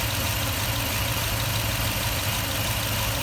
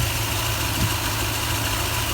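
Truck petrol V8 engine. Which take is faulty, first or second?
first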